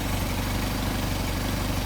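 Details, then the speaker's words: Mercedes 190SL with Solex carburetors after idle adjustment, before idle mixture screw tuning: low, steady, even idle around 600 rpm with no misses or knocks. "all right so we are at six so we're good we got a nice idle now we'll do the idle mixture screws"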